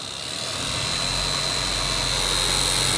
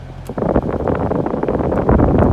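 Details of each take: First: Noisy cabin blower fan on a cheap Toyota Prius, sometimes not running until nudged: loud steady whirring with a sharp high whine and throbbing low hum, still noisy after cleaning and greasing; worn blower motor needs replacement. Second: Toyota Prius cabin blower after replacing the noisy, sometimes non-running blower motor (old one only ran when nudged): with AC on, steady rush of air from the vents, no motor whine or rattle; normal blower operation.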